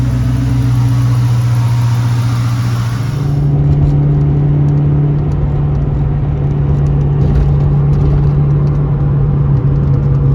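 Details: 2001 Mustang GT Bullitt after its broken, wobbly starter was replaced: a smooth, steady engine note that settles after a brief hiss, with no knocking or grinding from the starter area. The earlier horrific noise is gone; healthy running.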